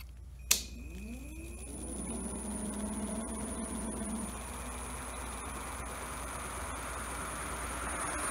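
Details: Home-built e-bike hub motor made from a hoverboard motor, full throttle: pitch climbs quickly then settles into a steady, smooth electric whine with no knocks or grinding; motor spinning freely at top speed, drawing high current.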